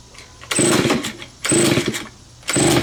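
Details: Neglected curb-found Stihl BG55 two-stroke leaf blower, first start after cleaning, choked: surges about once a second, roaring up then sagging, never holding speed; owner says it needs carb adjustment.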